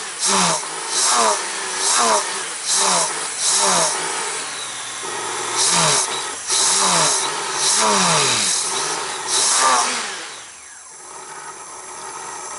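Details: Honda GL1500 Goldwing after carburetor clean with accelerator pump and idle fixed, not warmed up, on choke; sharp blips about once a second, crisp pickup and return to idle; normal revving.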